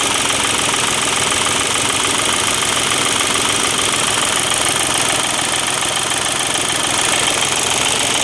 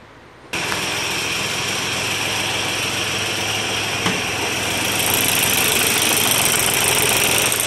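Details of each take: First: Volkswagen diesel idling after its injection pump was refitted with the broken internal spring replaced. Even diesel clatter ticking about three and a half times a second with an unbroken rhythm: healthy, normal diesel idle. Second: Volkswagen diesel at idle before pump removal: busy uneven rattly clatter about three taps a second; broken spring inside the injection pump.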